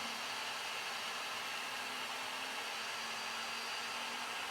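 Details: New Flashforge Adventurer 5M 3D printer during its vibration calibration, moving back and forth and accelerating: a steady mid-pitched buzz over fan hiss. This is the normal calibration sweep.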